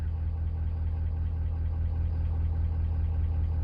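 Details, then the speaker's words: 2019 Ford F550 6.7 Powerstroke diesel at idle, customer complaint engine knocking: deep heavy idle with fairly regular knock about 76 per minute; cylinder 5 contribution/balance code and low cylinder 5 contribution suggest weak number 5 injector, not confirmed. "So I got a 2019 Ford F550 with the 6.7 Powerstroke. And customer complaint is engine knocking."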